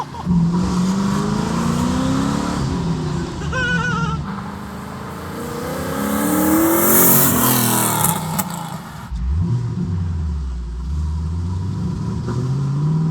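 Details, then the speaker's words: Twin-turbo Camaro SS V8 on a bad untuned setup, no wastegate reference: stumbles and surges, lumpy at low speed, and stalls; rough running blamed on the poor tune, with transmission trouble also noted. "Man, I cannot wait till we tune this car. Yeah, this thing is just not running well at all."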